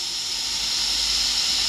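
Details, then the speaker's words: KJ-66 model jet turbine after service, shut down at about 100° after a clean burn: smooth, even airy hiss as the rotor winds down with no scratching or rubbing; spindown and bearings sound healthy. "oh ist das schön ohne zu"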